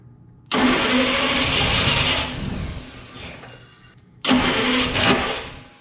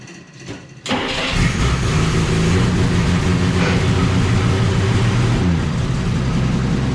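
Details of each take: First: 1947–49 Studebaker with a supposedly rebuilt flathead six, sitting 35 years, first start with a choke stopper and starting fluid: two bursts of heavy, strained cranking on 12 volts, the starter louder than the very quiet engine. Cause suspected. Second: 1947–49 Studebaker flathead six, supposedly recently rebuilt, sat 35 years, fed from a boat tank, 3-speed overdrive manual: short crank, then it fires into a steady, even, smooth idle with 40 psi oil pressure. Normal idle.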